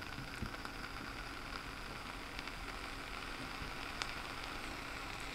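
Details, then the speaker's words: Vape coil held beside the microphone while firing: steady sizzling crackle with sharp pops that builds as the coil heats; hot-running coil with unusually pronounced crackle. "as it gets hotter you can hear it crackling more and it's producing more"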